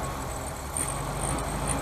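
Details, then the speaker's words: 1971 VW Super Beetle with a 1974 Super Beetle air-cooled flat-four, third carburetor, driven nearly half an hour earlier; soft even chuffing idle, no knocking or ticking, sounds really good; minor adjustments still pending. "Yeah, I'm not hearing no knocking, no nothing. It sounds really, really good."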